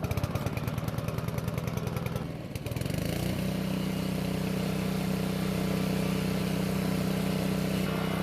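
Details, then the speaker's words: Honda push mower engine after winter storage and a carburetor-related no-start fix, now running: rapid, even single-cylinder putter that dips, then settles into a smooth, steady run with a clear tone; old engine sounds extremely good, healthy. "now this engine sounds extremely good for being as old as it is it was definitely taken care of and hopefully it'll last another ten years"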